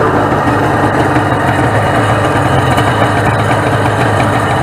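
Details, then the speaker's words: 1996 Sea-Doo SPX 717 two-stroke jet ski from a yard sale, first start on premix fuel with oil injection pump disconnected: steady even buzz at fast idle, a little smoky, likely from oil still in the oiler; runs healthy. "well ladies and gentlemen the xpx runs it's a little and smoky side because I believe it's still all in the oiler"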